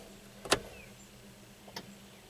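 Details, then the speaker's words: 1998 Ford Ranger, 423,000 miles, five-speed manual, after fuel injector replacement for rough idle: key on, faint steady hum with a couple of light clicks as the fuel pump is cycled to build pressure; normal priming. "the fuel pump a couple times to get pressure back up there"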